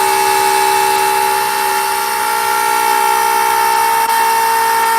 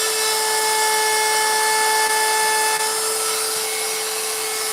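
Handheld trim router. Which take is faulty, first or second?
first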